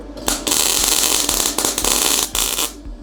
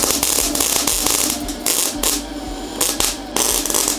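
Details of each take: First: MIG welding on 10-gauge settings, stick-out shortened and settings turned up a notch: crisp, frying crackle in sustained runs with only brief breaks; the arc is steadier and more consistent. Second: MIG welding 10-gauge steel at default settings: uneven crackling arc with sputtering bursts and dropouts instead of a steady sizzle, arc traveling up the wire; burnback from excessively long stickout, improved by holding the gun closer.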